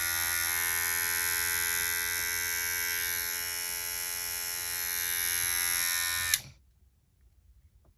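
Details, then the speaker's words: Cordless hair clipper after motor replacement: steady high-pitched buzz with an even hum underneath, no rattle, switches off cleanly; runs more powerfully than before; normal running. "feel these feel more powerful than they were before I'll tell you that"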